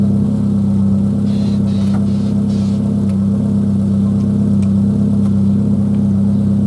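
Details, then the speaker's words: V6 Citroen Xantia on jump leads, hard to start and keep running: engine turns with an uneven, labouring beat around a hundred a minute and never settles into a clean idle; hard starting and rough running. "This car has been a right pain to start at the moment. Halford Special jumping cables, they're absolutely rubbish. They are. It's really been struggling to start and stay running."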